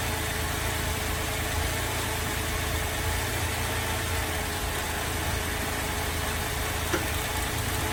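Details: Holden VZ Adventra with Alloytec V6 running very rough at idle with a lumpy, shaking, stumbling beat; coils disconnected one at a time to find the misfiring cylinder, later traced to a failed number 5 coil pack.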